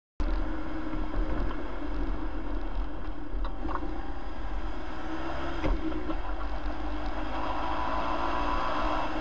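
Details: Hyundai Santa Fe engine under load: low drone with a light metallic rattle rising for a couple of seconds midway, around 8 seconds in; engine rattle under load.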